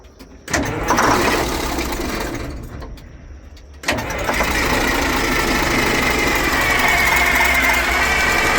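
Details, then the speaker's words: Old Detroit Diesel in an abandoned vintage GMC truck cranks, catches, drops off, then restarts to a rough, uneven run that won't settle; the fuel pump seems good and the owner wonders if the fuel is too old. "I don't know, man. I feel like diesel fuel will run in a lot of different situations. Man, it just don't want to run."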